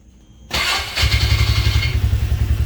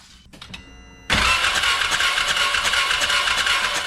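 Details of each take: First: 2017 Can-Am Defender HD5, restarted after 10 minutes idling and cooling off: brief cranking, catches at once, settles to even steady low idle; starts clean, runs normally. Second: 2017 Can-Am Defender HD5 no-start, spark plug out and grounded on a bolt: starter churns steadily about three seconds, never fires; no spark seen, ignition coil to be tested next.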